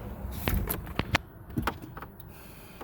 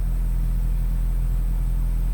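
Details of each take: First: 2003 Nissan Altima four-cylinder that won't start: starter turns engine over steadily, about three beats a second, never catches; crank no start caused by failed camshaft position sensor, to be replaced. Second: 2003 Nissan Altima four-cylinder, after repair of no-start: steady low rumble, even unbroken idle, no misses or knocks; normal idle, problem solved.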